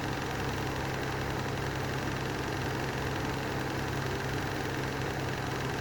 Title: Lanson style 3 exhaust fan with bad bearings